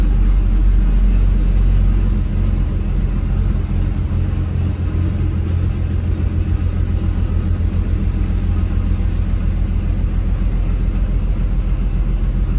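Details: Classic Dodge D150 truck idling after warm-up, about to set off: a steady, low drone that stays fast and even without dropping back. It is ticking over far too fast, and the owner blips the throttle to try to slow it.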